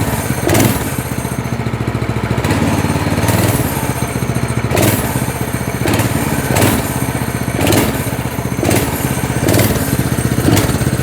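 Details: Single-cylinder go-kart engine (chain drive) at steady idle, believed correctly set, with a quick rev-up about every second; responds cleanly and returns to idle smoothly; normal running.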